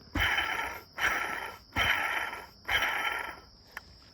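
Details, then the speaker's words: BMW E46 old water pump, removed and spun by hand after leaking from the seal and wobbling: four spins, each a rough dry gritty rasp fading as it slows; worn-out water pump bearing, replaced with new Gates pump. "it just sounds ugly the bearing is shot so it's a good thing it's a good thing I'm putting a new one in because this one's dead"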